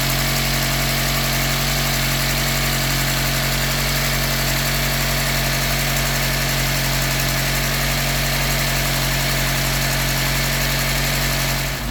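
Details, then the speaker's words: Austin Allegro four-cylinder (firing order 1-3-4-2) after ignition timing slightly advanced: steady, even idle around a thousand rpm, no hunting or chugging; engine running healthy. "but that sounds really nice. Nice and even. No hunting going on. No chugging."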